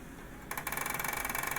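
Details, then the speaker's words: Xbox One optical drive taking a disc: fast even run of sharp clicks, still clicking after first temporary fix of hard taps above the drive before grinding stopped. "and we still got some clicking so we'll try it again flip it back plug it [Music] in and voila no grinding"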